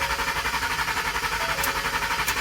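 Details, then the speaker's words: 2011 Ford F-150 cranks but won't start, with a dash message "turn power off to save battery": steady, even starter churning at about ten pulses a second with no firing; the cause was a failed fuel pump relay fuse, not the battery. "So it won't crank. That's all it does is turn over."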